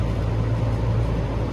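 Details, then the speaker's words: 25-ton Lennox unit blower motor spun by hand with the belt off: smooth, even hum with no grinding or clicking, other equipment rumbling nearby. Bearings sound good; the motor bracket was later found cracked. "so this motor sounds good not hearing any type of grinding or clicking"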